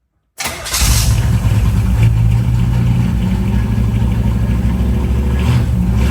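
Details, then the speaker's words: 1960 Chevrolet Impala with Cherry Bomb M80 dual exhaust replacing droning stock tin mufflers, cold start after a few pedal pumps to prime; fires quickly into a deep, lumpy, throaty idle through loud mufflers, a normal cold start. "it's also a cold start because this has not been run today so got to give it a few little pumps to get it primed up"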